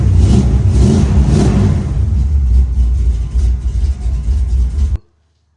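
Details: 1969 Dodge Dart farm find after a Summit electric fuel pump replaced the mechanical pump (block-off plate fitted): the engine blips up and settles to a steady, even rumble with no stumble; fuel delivery sounds healthy.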